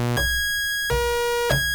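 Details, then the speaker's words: EMS VCS3 synthesizer played from a DK-1 keyboard: the tone holds, then jumps sharply high for about half a second on key release as the CV runs off scale. Suspected fault in the keyboard's sample-and-hold CV circuit. "And uh on key up, uh the CV goes way off the scale and the VCO just goes into some weird high pitch."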